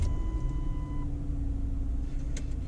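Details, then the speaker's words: 2003 Lincoln Town Car V8, 52k miles, sat two years: starts and settles into a deep, steady rumble with no knock or miss, door chime beeping overhead; normal start. "starts and sounds like a ford at the beep for the door jar so that's gonna complain about that"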